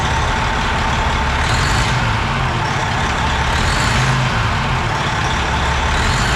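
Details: Semi truck diesel after rocker and valve work with valve cover off, fuel still primed: steady, even low rumble with no misses or stumbles; idles smoothly on all cylinders.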